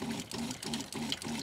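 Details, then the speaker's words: Winnebago Revel RV fresh-water pump, faucet barely open, before accumulator tank install: buzzes in short bursts about five times a second, rapidly starting and stopping; pump short cycling. "did you hear how the pump shuts off and on and off and on quite a bit this is kind of expected because the pump always runs at the same speed and it would produce more water than what's coming out of the faucet"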